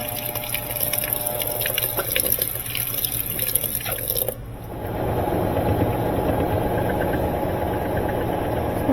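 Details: Maytag top-load washer after repair, previously said to have a bad transmission: water splashing, then a steady pump hum as the tub drains, with no grinding or banging. Normal drain and pump.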